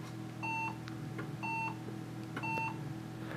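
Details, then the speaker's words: HP desktop PC that won't POST: five short electronic beeps about one per second in a quiet room, then nothing; after a few minutes the fans ramp up aggressively and it powers off; caused by bad RAM. "it just beeps five times and then doesn't really do anything else um if we give it a few minutes the fans will start ramping up really aggressively and then it'll just power off"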